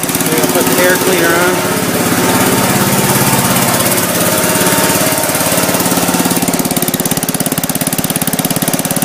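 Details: Gravely Commercial 10A with single-cylinder Kohler, first start after rebuild (governor cross shaft and gear, crank ground 10 under, new piston, rings, rod, gaskets, light hone), snowblower attached: steady fast chug, even firing, no knocking or surging, runs healthy.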